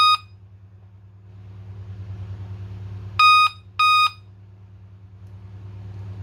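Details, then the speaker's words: Dell Inspiron 3542 motherboard (Cedar Intel FX3MC), no-power fault fixed by jumpering S5_ENABLE to KBC_ON# (PSL_OUT# bypass), fan running, no RAM fitted: low fan hum with a pair of short high beeps; POST code for no memory. "දෙකක් එනවා කියලා කියන්නේ RAM එක නැති හින්දා ඔන්න මට අමතක වුණා RAM එක ගන්න."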